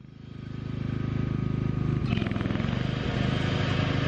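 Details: 1987 John Deere 160 mower after refitting the 204RR6 sealed deck bearings, with the dry top bearing soaked in used engine oil and swapped with the bottom one: the small engine pulses evenly, then the deck engages with a smooth whir. No spindle grinding or squeal.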